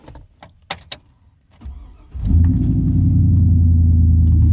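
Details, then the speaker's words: 2007 Toyota Corolla, clunking since purchase and CV axle shaft suspected: key jingles, then quick crank catching into a deep, steady, even rumble with no knocks or misses; normal engine start and idle. "Wonderful rumble."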